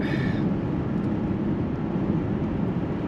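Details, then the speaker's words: Car on test drive: loud, even, bass-heavy drone under load, more noise than the performance justifies; engine judged noisier than it should be. "Which is why, again, maybe it's just that the noise isn't justified, and that's why it bothers me a little bit. but it is noisier than it should be because it doesn't really."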